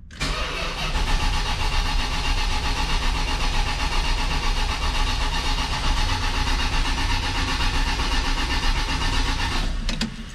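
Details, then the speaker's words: 1979 Lil Red Express truck after six months of winter storage, about 55°F, 15-year-old battery: about ten seconds of steady, slowish cranking to build oil pressure and bring fuel up, without firing. "so i'm gonna let it crank it's gonna take a little bit to get the fuel back up but i wanted to build some oil pressure"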